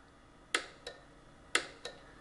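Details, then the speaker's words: Teletype ASR 33 paper tape reader, start contact pressed: two pairs of sharp clicks, each pull-in followed by a softer drop-out; the reader relay pulls in but fails to latch. "this is what happens when I press the start button dorita actually clicks and this starts the reader the problem is that it should latch it should stay on and it does not"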